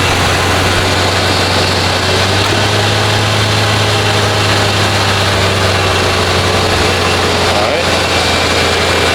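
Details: Lincoln Town Car (OBD1) after replacing the idle air control valve for high idle, no code: steady, even low hum with no surging or hunting; idle now around 800 rpm versus roughly 2000 before, normal.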